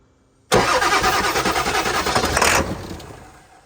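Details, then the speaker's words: 1991 Ford F-350 swapped to 7.3 Powerstroke diesel, just filled with oil and fuel filter pre-filled: fast, uneven cranking for about two seconds with no catch, then winds down; crank no start, owner thinks it is not getting fuel. "yep yeah it's not getting you w't then Crank It Again crank it I don't think he's getting fuel"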